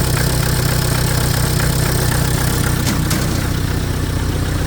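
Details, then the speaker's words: Hyster R80 forklift diesel, first startup after remanufactured injection pump and rebuilt injectors installed: fuel pump audible, then steady even idle clatter with no misses or knocks, no smoke; engine running healthy. "Yeah, you can hear the fuel pump running. There we go."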